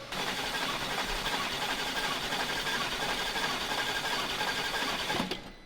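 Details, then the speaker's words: Flood-damaged Aston Martin DBX with a seized engine rebuilt from mixed DBX and Mercedes parts, first crank with fuel lines disconnected to build oil pressure: steady, even whirring crank with no knocks or scrapes. It sounds healthy. "Sounds good. >> Sounds really good. >> Sound all right, doesn't it? >> Sounds really good."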